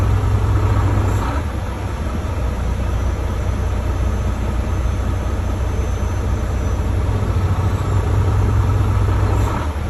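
Deep diesel idle with an uneven, loping beat of roughly three pulses a second that never settles; rough idle, cause unclear.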